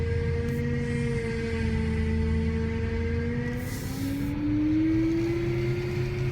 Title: Whining Noise E92 M3